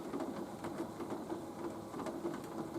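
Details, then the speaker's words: Nautilus U614/U616 exercise bike at resistance level 4, after the pedal was re-torqued with plumber's tape: a soft, even whir with no thumps or clunks. Normal quiet pedaling after repair. "thumping, no clanking, no clumping, no chumping. Not bad, huh?"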